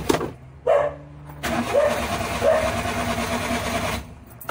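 Starter spins the engine over in short bursts but it never catches or runs on its own; a no-start condition. Cause suspected, not confirmed.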